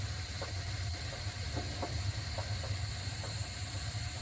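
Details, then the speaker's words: AO Smith 50-gallon water heater in an attic, returning fault code 6, running about 10 minutes: irregular sharp pops and crackles over the steady burner roar from sediment on the tank bottom. "you can hear it popping and cracking that's a sediment that's on the bottom of the tank"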